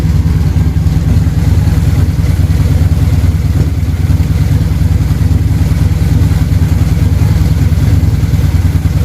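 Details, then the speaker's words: Probably a Harley-Davidson V-twin idling after carburetor synchronization, with the idle turned down and the air box off: deep, even, lumpy beat with no misses or surging, and the carbs sound well balanced. Normal, healthy idle despite slight popping. "That's a good bass tune. I can live with that. It sounds really healthy."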